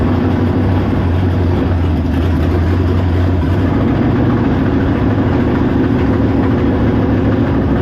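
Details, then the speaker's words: V8 on a test run: low, heavy idle rumble that wavers and shifts in tone, rough running. Owner suspects the choke, carburetor, base plate or coil; cause unconfirmed. Water pumping out noted. "Something going on with this choke. Yep. She ain't liking it. She ain't liking the choke."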